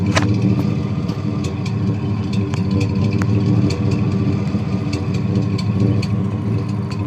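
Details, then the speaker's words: 1991 Chevy 2500, 350 TBI V8 idling, no catalytic converter, muffler only: uneven stumbling exhaust beat from a misfire. Cap, rotor, plugs, wires, O2 sensor, temp sensor and fuel filter are new and EGR is good. Timing bounces; owner fears timing chain or compression. "you can only hear it in the exhaust I got no cat just a muffler"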